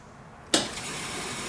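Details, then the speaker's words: Fuel pump jumped directly with an alligator clip after an upgrade of the fuel pump feed wiring, replacing a melted wire and old speaker wire: sharp click, then a steady, even electric hum and hiss without surging. Fuel is flowing and the pump runs normally. "There's some fucking flow going on."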